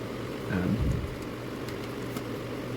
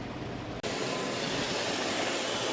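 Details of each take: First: iRobot Roomba 650, unused for about 4 years, with a new replacement battery, docked on its base showing a yellow light: two short rising chirp sequences a couple of seconds apart. The error tone sounds only when docked, cause unknown. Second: iRobot Roomba 650 after battery replacement; before, it made a constant noise and blinked yellow. Now a steady, even whirr and hiss with no surging or rattle, and it blinks while charging. Normal running.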